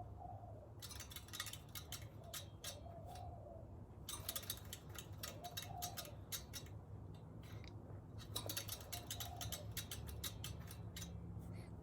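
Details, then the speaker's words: Scott Bonnar Model 45 cylinder mower after professional sharpening, reel turned by hand: light, crisp ticking clicks in short runs as blades just nick the bedknife while spinning freely; correct reel-to-bedknife contact. "so the reel will still spin freely uh and hopefully you can hear that it's just just nicking uh our bed knife"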